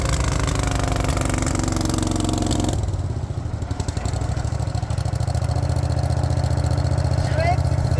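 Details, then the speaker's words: Wacker RD880 roller compactor that sat unused for about 10 years, revived: deep, even low thumping at a steady idle with no misses or knocks. It runs well, though the articulation pivot doesn't work; normal running. "so we have found one more problem with the compactor but it's running actually pretty good which is cool"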